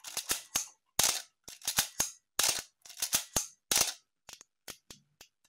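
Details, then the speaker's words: Healthy Canon A-1 after a full clean, lube and adjust, fired off program mode at various, including slow, shutter speeds. Crisp, clean, even clicks with slow ones drawn out; mirror and shutter sound healthy: normal shutter and mirror operation. "yeah you can hear it how it sounds this is a nice healthy a1"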